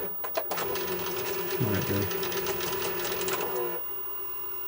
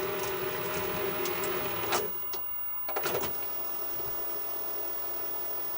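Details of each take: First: Sanyo Betacord VTC-1000 Betamax recorder with old tape: harsh whirring clatter with knocks about four a second, then quieter; tape-loading mechanism labouring violently while lacing, before opening up. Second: Sanyo Betacord VTC-1000 Betamax recorder, old tape, before opening it up: even whirring with light rapid ticking and a couple of clunks at mode changes. Rewind and fast forward working normally.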